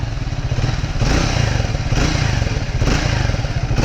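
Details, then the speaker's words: Triumph Speed T4 (400cc single), smooth first start, idling in neutral at the showroom: deep, even, slightly bassy exhaust thump with regular beats and no rattles or misses; healthy idle. "That was a pretty smooth start. That's in neutral, and exhaust has a good pretty thump to it. It's a little bit bassy, no doubt."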